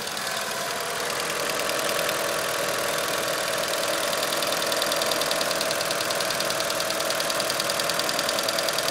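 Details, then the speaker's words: Bone-stock 1996 Eclipse GST 4G63 turbo at idle: light, fast ticking about 3 per second that swells louder then fades, usually going away once warm; the owner assumes lifter tick, unconfirmed. "sure I mean as you can tell in the video it it gets loud a little louder it gets a little louder and then goes away uh I'm assuming it's a lifter tick"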